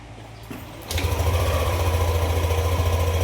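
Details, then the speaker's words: Yamaha NMAX 155 V2 scooter, owner reports it suddenly stalls, started on a new battery: catches just under a second in and settles into a steady, even idle with no misfire, knock or hunting; scan later shows P0335, P0560 and stall history. "Kung titingnan nyo, wala itong problema kasi umaandar naman siya."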